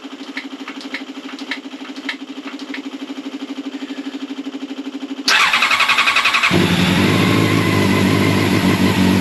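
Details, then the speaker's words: Old Honda CBR600 track bike, long unused, started on choke with fuel pump priming: steady ticking about five seconds, then catches and runs strong with a throttle blip; runs, slightly boggy, not yet up to temperature. "that's a win the free bike she runs I'm gonna have to run it out properly up to temperatures a bit boggy there"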